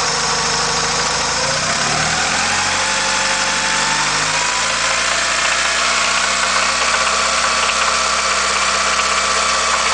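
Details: 1990 Honda Accord petrol engine on 10W-40 oil, revved from idle to 2000-2500 rpm: light knocking beneath the engine note; cause unknown.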